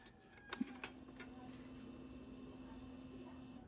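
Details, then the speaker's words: Motorcycle with a version-3 anti-theft kill switch turned off, at key-on: a few clicks, then a steady low whir for about three seconds that cuts off cleanly. This is normal fuel pump priming; with the kill switch on, the pump stays off. "So, narinig nyo, no? Tumunog yung fuel pump."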